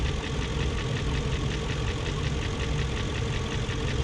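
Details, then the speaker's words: 2001 BMW E38 740i idling after Vanos units rebuilt, Vanos distributors and intake cam-end gaskets replaced: fast light ticking over steady idle, not fading; lifters checked, plugs tight, no codes, valvetrain-area top-end tick, cause unknown. "and it's still making that ticking more all the spark plugs are tight it's right here just like before"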